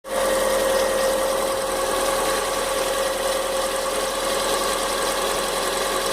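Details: Fox idling with engine noise the owner can't identify. An uneven ticking knock rides over a steady whine. Knocking noise, source unclear.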